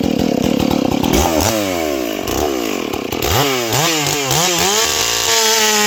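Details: Ported Stihl 461 chainsaw after new Caber rings and repaired blown-out spark plug hole, cutting a log; screams to high revs, pulls down crisply into the cut and recovers fast: normal cutting under load.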